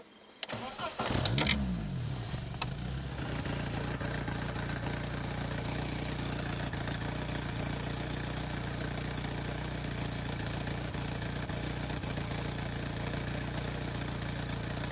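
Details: 1992 Opel Vectra A, automatic, 1.8 engine, before repair: cranks and catches, then a loud raspy blatting idle with a hollow low rumble; middle muffler broken off and hanging, exhaust leaking.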